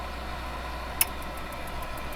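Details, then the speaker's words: Campervan Propex blown-air heater after strip-down fan repair, gas not connected, thermostat wound up: sharp relay click then soft fan hum with light ticking building, normal fan start-up. "I shall wind the thermostat up, and then you shall hear it. Hear the fan start,"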